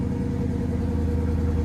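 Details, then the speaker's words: Dodge Challenger at Copart, low miles, minimal damage, left running: deep steady rumble at low even idle, no misses or knocks; idles well enough, a little something but nothing major. "All right, it sounds like it idle enough. Let's find out."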